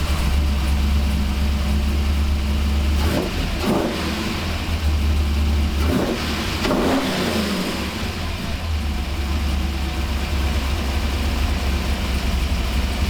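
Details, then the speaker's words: 1985 Monte Carlo SS, cammed 6.0 L LS2 swap, after freeing stuck injectors on cylinders 1 and 7: V8 catches and settles into a steady, even idle with deep burble, quick throttle response, no stumbling; normal start and idle on all eight. "Throttle response is quick. No more stumbling. Listen to that cam"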